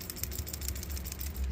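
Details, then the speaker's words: PCV valve for a Hyundai Sonata with oil consumption: shaken by hand, it gives a light, crisp plastic rattle that is substantially loud, showing the check inside moves freely and the valve is good. "That one's substantially louder. That's kind of what you want to go for. That's how you know it's moving freely."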